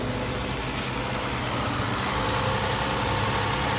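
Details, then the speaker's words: 2007 Toyota Solara 3.3L interference engine after broken timing belt replaced, no covers or drive belts, no coolant: steady, even idle with smooth hum and no misfire felt, no bent valves apparent. Normal idle. "I don't even feel a misfire oh my goodness how in the world I think we might have got lucky"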